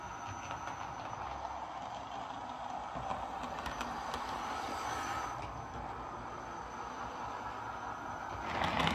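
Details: Lima Eurosprinter model locomotive after its screeching, running on the layout: even, steady rolling hum with low growl from its big motor, no knocks or stutters; smooth and healthy.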